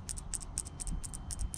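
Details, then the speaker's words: VW VR6 car: light, crisp double clicks, about four pairs a second, as the subwoofers hit; the blown central locking/dome light fuse was rattling loose in its socket, making the dome lights flicker, and replacing it fixed it. "you can hear a little rattling noise, hopefully. It was just connecting it enough to where the dome lights would flicker when the subs hit, because it was just rattling it."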